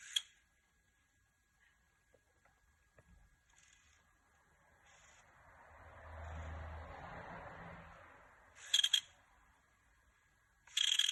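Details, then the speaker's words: PSP UMD drive with faint disc whirring, then bursts of short high squeaks while reading. Moving the laser does not change the noise, so the owner suspects the UMD disc or a failing UMD spindle motor. "so my PSP started to make strange noises so let's hear it out for"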